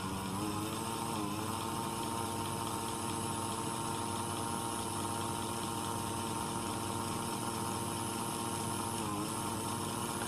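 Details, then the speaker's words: New Hornby S15 model locomotive on test with ammeter in circuit, drawing about 240 mA; motor whir dips and recovers twice as it slows and current rises to about 320-380 mA; intermittent slowdown fault, cause under diagnosis. "so we're just going to run her and see if the slowdown occurs"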